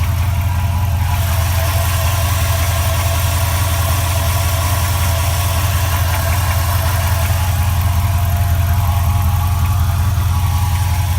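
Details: 2004 4.7 HO V8 idling cold with a faint, regular light tap from the bottom rear of the engine beneath the low rumble; the tap goes away once operating temperature is reached; owner suspects knock.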